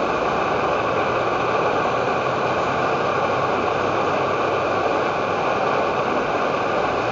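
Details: Edward Hexon backpacking stove on white gas (Coleman fuel), syringe-fed in place of its pump, with 500 ml of water reaching a rolling boil: steady, even hiss-roar with no sputter, surging or popping; burner running cleanly at full output.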